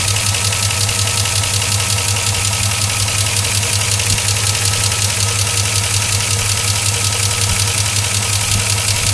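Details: 2004 Chevrolet Silverado 5.3L V8, 59,000 miles, cold idle: loud steady tick about two or three a second over the low engine hum, persisting after an oil change to Mobil 1 5W-30 and AC Delco filter; sounds like an air leak on top.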